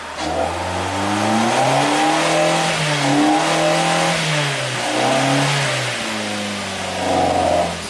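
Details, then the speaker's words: 2008 Suzuki SX4 with a pending cylinder 4 misfire code: revs sag and stumble through a wall from 2,000 to 3,000 rpm, then pull cleanly. Timing and fuel are fine and idle is fine; owner suspects a stuck intake tuning valve. "But this this wall from 2 to 3,000. Timing is good. Everything's good. Fuel is fine."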